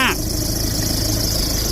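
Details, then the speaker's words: Ford Ranger over 100,000 km at idle: rough busy idle with steady hiss and rumble from the front belt area, worn alternator pulley bearing and flapping belt; fixed by replacing alternator bearing, belt tensioner pulley and front belt. "บอกแล้วว่าเกินแสนโลนี่เจอทุกคันเป็นทุกคันต้องก่อนเรนเจอร์แล้วก็Mazdabt-50Proทั้งเครื่อง2.23.2อาการจะประมาณนี้เลย"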